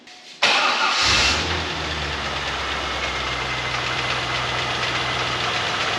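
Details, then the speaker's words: 2001 C5 Corvette LS1, restarted after sitting for years: lumpy, uneven idle with a loose hollow knock over loud hiss; oil pressure good but it feels like a misfire; it earlier threw the belt, tensioner suspected worn. "Way better that time. Oil pressure is good, but it feels like it has a misfire."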